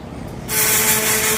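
A loud steady hiss with a thin constant whine cuts in and holds evenly; the laser cleaner is firing and running normally.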